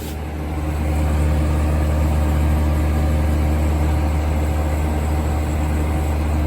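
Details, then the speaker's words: 1980s Super dehumidifier with R-12 refrigerant, final test after fan motor replacement, grille and bucket fitted: steady even low hum with strong airflow rush, no knocks or rattles; running normally. "so here is the final test for this video here it goes [Music] oh yeah that's moving a lot of air [Music]"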